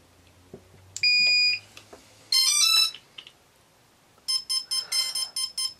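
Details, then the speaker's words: Quadcopter build: after a rising power-up melody, a speed controller on output 1 of a KK board repeats quick high beeps because its throttle signal is outside the range. "as you can hear it's beeping because that's outside the range"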